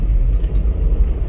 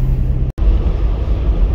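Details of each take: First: Toyota Land Cruiser 80 series with a 4-inch lift and the previous owner's unsatisfactory double-cardan driveshaft: deep droning vibration when off the throttle, worst downhill, fine under acceleration; blamed on changed driveshaft angle from the lift. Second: Lifted 4-inch Toyota Land Cruiser 80 series driving after installing a double cardan front driveshaft to cure driveline vibration: steady low road rumble, no rhythmic shudder, front totally silent, rear faintly audible; normal driveshaft operation.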